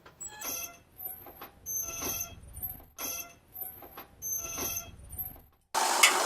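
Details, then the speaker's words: Brake noise with wheel turning: rhythmic scraping squeak about four times a second, caused by heavy friction between pads and the caliper slide rails they travel on; clean rust and dirt from rails with wire brush. "Esto es porque hay mucha fricción entre las pastillas y el riel donde ellas se desplazan."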